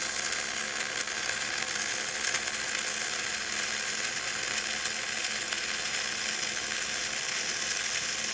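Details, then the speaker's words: Gas-shielded flux-cored arc welding (FCAW-G), with the nozzle kept clean. The arc gives a soft, steady frying hiss with no popping or sputter: a small, smooth, well-set arc that still puts out a lot of heat, catching the welder's glove on fire. "You know, even don't let that really small, smooth, and soft arc fool you. I There's a lot of heat going on here."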